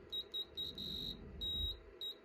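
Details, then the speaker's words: Anycubic Photon resin 3D printer during Z-axis homing and build-plate levelling: high, thin electronic beep in uneven bursts, meaning the optical Z-axis bottom limit sensor is triggered near the bottom. "So we're going to push it down on there, and the beeping means the optical sensor has been triggered, which means it is close to the bottom."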